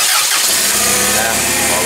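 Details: Toyota 7FGU25 forklift with a no-start complaint, after the fuel regulator with a weak solenoid was replaced, engine catches immediately and runs steadily with no stumbling or misfire; normal start.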